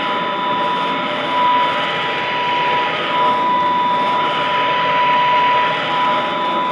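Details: Vintage all-metal Royal Model 153 vacuum, owned 22 years, 3-amp bushing-style motor; steady, even quiet whir with faint high whistle, no knocks or grinding; normal running.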